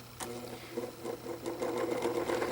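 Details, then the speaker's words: Vintage 12" Windmere oscillating fan spinning up: uneven ticking and rattle over a low motor hum; the head doesn't stay straight, oscillator turns without effect, and blades may need tightening; dry motor bearings needing oil. "stay straight and that it definitely needs some oil maybe the blades to be tightened"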